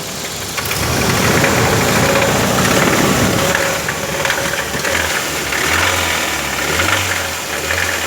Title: How to diagnose ticking noise in Engine